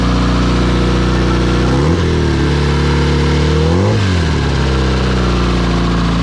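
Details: Porsche 944 "Evo" turbo build running on E85, first start after almost two years: steady idle with two quick throttle blips near two and four seconds, pitch rising and falling cleanly, revving freely; fuel leak, oil leak (low oil pressure reading) and turbo leak found.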